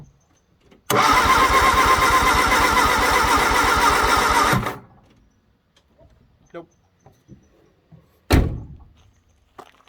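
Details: 1962 Vauxhall Victor that sat 25 years, with gas poured into the carb and a coil that looks damaged: about four seconds of steady cranking at roughly three turns a second, and it never catches; owner suspects no spark.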